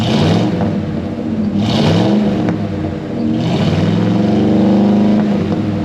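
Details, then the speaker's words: Ford 302 V8 Econoline van, cold, just started after replacing bent #5 intake pushrod (suspected stuck valve), dual exhaust. Running and blipped, a touch rough, no ticking or clatter from valvetrain; appears to be running on all eight. "it's running appears to be running on eight but we're not clattering uh i'll let it warm up here"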